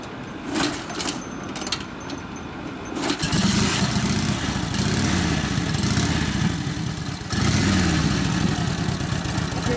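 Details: 1942 Harley-Davidson WLA 45ci flathead sidevalve V-twin, freshly rebuilt and tuned up after sitting a few years, flooded when hot: sputtering start settles into a strong, loping beat that holds through the revs; running healthy and pulling well.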